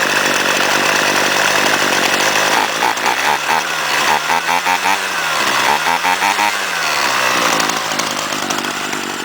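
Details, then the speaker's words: Cold start of a Chinese-made trimmer used commercially for four years, given five primes; its choke has no air cleaner behind the carburetor. It runs on its own, then half choke; clean buzz with blips settling into a steady run without misfire: normal running. "And there we go. She's running all by herself."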